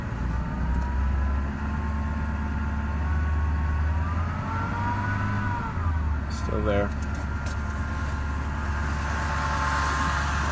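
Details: 2011 Ford F250 6.7 Powerstroke diesel, stock, ~124k miles, idle: thin whine around 1 kHz over low rumble, starting immediately on start, varying with rpm, from driver's side; louder when revved; cause was a bad alternator.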